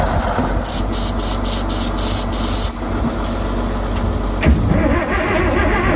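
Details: Cold diesel idling evenly while warming up after starting fluid was sprayed in the intake, loud steady clatter with a few sharp ticks early on plus a slight exhaust manifold leak from a broken stud; normal cold idle.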